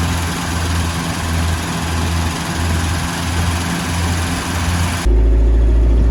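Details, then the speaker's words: 1977 Land Rover Series III 88" 2.25 five-main-bearing engine with Weber carburettor, accelerating after fitting a new ignition coil: low drone with uneven pulsing, about three stumbles a second, then a steady hum; misfire still present, later traced to a carburettor clogged with dirt and debris. "Getting a misfire under acceleration with the new coil."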